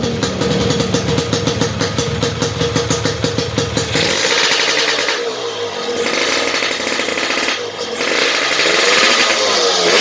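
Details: Yamaha RX King, standard non-ported block, fitted with a lathe-machined RXS head; an unmodified head would knock from too-high compression. Crisp two-stroke crackle on quick throttle blips with no pinging under load: normal running without detonation.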